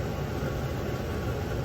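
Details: Webasto Airtop 2000 air heater newly fitted in a Citroen Ami, switched from cold to hot air, outlet air now warmer: an even, steady low rush of air with no rattles or surging. The heater is running normally.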